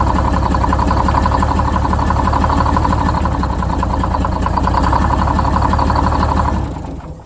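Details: Detroit Diesel 6-71 two-stroke, first start after new 4-valve head and Davco 382 fuel filter install, fuel system primed: loud, busy diesel clatter settles to steady idle, then winds down; oil pressure came up well, governor bolt missing causing oil drip; normal idle.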